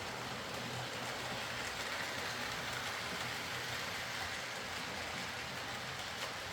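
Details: Hornby R.372 Class A4 "Seagull" tender-drive model loco after repair: stop-start running likely from excess axle oil spoiling pickup; even steady whirr with soft wheel patter, no stutter or surging, running smoothly and quietly.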